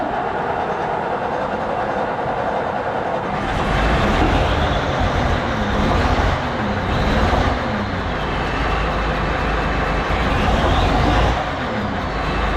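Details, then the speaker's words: Old Terex articulated dump truck diesel started with ether on a warm day: quiet at first, then it catches and settles into a rumbling idle with a slow, gentle surge while warming up and building air pressure; normal start. "Let her warm up, build up a pressure. She's an old girl, but she's nice. She's reliable."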